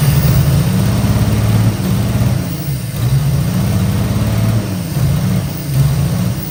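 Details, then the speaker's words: 1955 Chevy Two-Ten coupe parked 40 years: steady rhythmic cranking with uneven surges and the odd pop, never catches; cranks, no start, suspected fuel starvation, as the pump doesn't seem to be delivering fuel. "our pump does not seem to be pumping got fuel rigged up to it even primed it uh tried running it off of starting fluid tried running it off of fuel poured directly on the carb"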